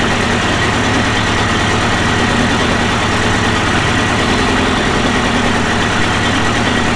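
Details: Early-1980s Mercury 350 35hp outboard after replacing head and exhaust gaskets (failed exhaust gasket had let water into cylinders); steady, even idle with a low, consistent beat, no misses, knocks or surging; running normally.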